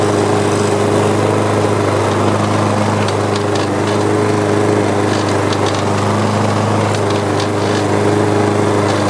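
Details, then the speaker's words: Free older Troy-Bilt mower with an OHV engine and metal carburetor, heavily carbon-fouled, run on a little gas: steady, even single-cylinder buzz without misses or surging. A rattle was blamed on a loose cover. Normal running. "well it didn't sound too bad it's uh I think this cover was just rattling away take it off"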